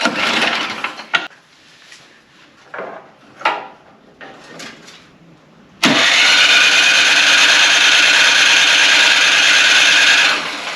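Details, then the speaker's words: Craftsman/MTD-type snow blower small gas engine that has clogged its carburetor before: steady whirring crank for about four seconds without ever firing; no start, clogged carburetor starving it of fuel. "If you have a snowblower or some other small gas engine and it won't start like this, it's most likely the carb or bad gas."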